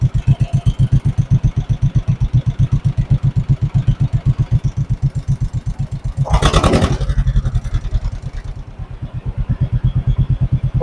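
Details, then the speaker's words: 1958 John Deere 420W two-cylinder tractor, converted to 12 volt, just started after being abandoned over 35 years: slow, even putt-putt at idle with steady beats, no misses or knocks; idle being adjusted, runs cleanly. "It's way too quiet. It's a little too loud now. That's a little better."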